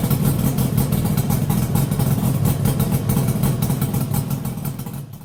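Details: Yamaha RD350YPVS F2 two-stroke twin on start-up after full rebuild (all bearings, seals, rebore); plugs were loose on first run. Even, low putter with no tapping or grinding before shutting off. Normal idle, quiet and healthy.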